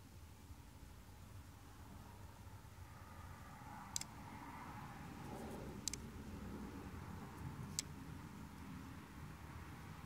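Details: 2007 Honda Rancher 420 ATV that won't start: three sharp single solenoid clicks about two seconds apart, with no cranking.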